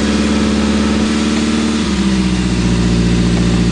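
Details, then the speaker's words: 1980 Triumph Spitfire 1500, Weber two-barrel carb, just after freezing cold start: engine spins up to a fast steady high idle around 2,500-3,000 rpm, then settles a little lower; normal cold warm-up idle. "you just love the incredibly high idle it's always really good for a freezing cold motor to go up to 2 500 or 3"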